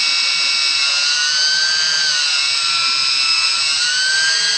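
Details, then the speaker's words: E-flite P-51D BL UMX brushless motor run on the bench with prop, throttle stepped from 50% to 100%: clean high whine rising and easing with throttle, no rattles or cutouts; eases slightly at 100%, probably battery discharge rate; normal running. "So when I get up to 100%, it seems like it wants to back off a little bit. Probably just the discharge rate of the battery, but guys, that feels like it's doing just fine."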